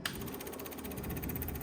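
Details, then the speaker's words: Rebuilt Triumph TR6 engine before first start, with ignition on and starter main power disconnected; the electric fuel pump ticks fast and evenly and the starter solenoid clicks, both working normally. "we can hear it working, and the starter, you can hear the solenoid."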